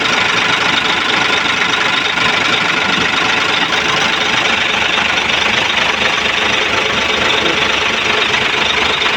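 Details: Hino 700 truck diesel that cranked but would not start, after bleeding the feed pump: loud, even clatter holding steady with no misses or hunting; normal idle.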